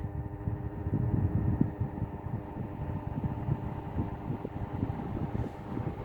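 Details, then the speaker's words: Vintage desk fan running: a steady hum with a loose, uneven rattle underneath from worn motor bearings. "I can hear the bearings rattling."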